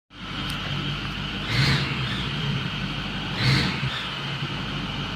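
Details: 2010 Ford F350 Super Duty 6.4L diesel V8 idling with a raspy, puffing exhaust note that swells twice, from exhaust leaks at both manifolds.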